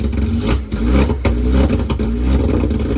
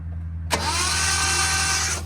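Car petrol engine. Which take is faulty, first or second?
second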